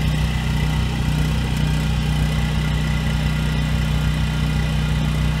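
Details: 7-year-old Husky generator, Subaru EX30 engine, after carburetor rebuild and pilot jet drilling: constant even hum at one speed, no hunting while loaded; surge almost gone at about 900 W, good at 1500 W; still surges at no load.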